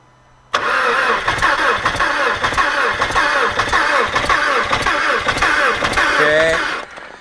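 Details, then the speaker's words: Audi A4 Quattro 2.0L FSI, cold start after cylinder head repair (burnt exhaust valve, leaking valve on cylinder 2, blown head gasket between 1 and 2), mass air flow sensor unplugged: catches then runs lumpy and stumbling; rough running, cause not confirmed. "um just the only thing the engine does not run smooth"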